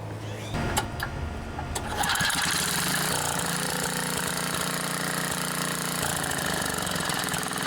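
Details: Craftsman edger with Tecumseh 3.5 hp engine that sat for many years and wouldn't start, new Champion RJ19LM plug, fresh gas, run without air filter: a couple of pulls, then it catches and runs steady and even with no misses or surging; normal.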